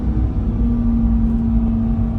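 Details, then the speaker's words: 2020 Chevrolet C8 Corvette, 8,000 miles, P0700 transmission code, delayed creep: engine held at a steady high drone with no shift drop in revs while stuck in third gear in drive; transmission not upshifting. "0 kilometers an hour and we're just in third gear in drive. Come on. Jesus. Shift, man."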